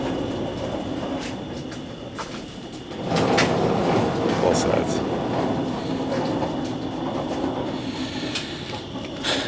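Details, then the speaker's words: Truck on lift, transmission exploded: rough rumbling and clatter under the truck as the driveline turns, with faint high whine, leaking fluid heavily; suspected noisy ring and pinion or its bearings; differential noise. "I would say that sounds like a very noisy ringing pinion or bearings connected to the ringing pinion or something along those lines"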